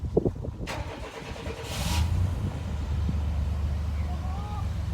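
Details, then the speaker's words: Chevy K1500 pickup that sat for a few years, first start attempt after checking fuel pump cycle: a few quick cranking beats, then it catches right away and settles into a steady, even low idle; normal start. "And we're going to give her a shot to start it. It runs."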